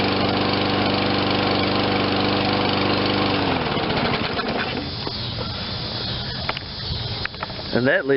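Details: Toro 22-inch Recycler self-propelled mower, 163 cc 7.25 hp, low hours, no-start after sitting; after fresh fuel and carburetor cleaning: steady even drone, no misses or surging, then winds down; normal running.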